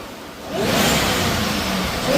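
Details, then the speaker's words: 2004 Mystichrome Mustang Cobra V8, power steering now quiet: short clean rev climbing smoothly with rising whine, no misfire or popping; runs on all 8 cylinders, was on 6 cylinders when bought. "How much better does this sound today than when you guys brought it home? It was on 6 cylinders when we got it. It sounded like poopy, right?"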